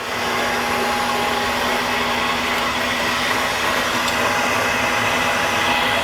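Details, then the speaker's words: Ranger RL-8500 brake lathe machining a brake drum, feed at about four: even, steady hiss and hum with no chatter or squealing ring; normal drum cut without chatter. "now you notice you don't hear it chattering or singing when they chatter chatter and sing it's not a good thing"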